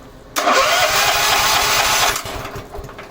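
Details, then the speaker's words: 11 hp Honda engine on an Emglo air compressor, just after a carburetor and air cleaner box replacement. It catches and runs loud and ragged for under two seconds, then bogs and fades: too rich, getting too much fuel, so the side mixture screw needs tuning. "Need to tune it. There's a little screw on this side. It's getting too much fuel."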